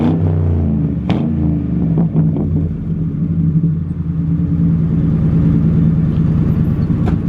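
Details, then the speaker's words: Ford Crown Victoria (Panther platform) V8 on 28-inch wheels, revved while parked: a deep rumble rising and falling with a slightly choppy, skipping exhaust note, attributed to an exhaust leak. "yeah guys sound like that she's skipping a little bit but it's just because of that exhaust leak it tones down the note a little bit"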